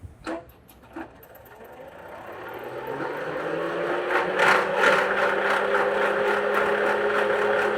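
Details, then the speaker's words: 2008 Ford Crown Victoria, engine off, electric cooling fan commanded on via bidirectional scan tool: whir climbs in pitch into loud rattling racket resembling a bad AC compressor; failing radiator cooling fan motor. "Boy, that sounds like a bad AC compressor running."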